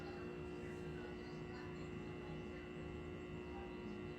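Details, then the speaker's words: Original cocktail table, probably an Asteroids Deluxe, on the bench, speakers hooked up, power just on: steady low fixed-pitch mains buzz through speakers, a little noise but quiet until the game board boots and it gets bad; bad-ground hum. "I mean, sure, it's got a little noise to it right now, but it's quiet. And it's not until the game board boots that it starts getting bad."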